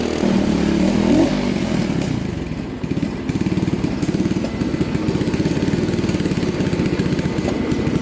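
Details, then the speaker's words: 2003 Kawasaki KLX110 single-cylinder at first start-up after rebuild; choke pulled, crisp even putter settling after a rev, responsive with no misses, running much better, idle about to be turned down; owner thinks something still left in carburetor. "Okay, so she's running much fucking better. We'll go ahead and turn this idle down a little bit."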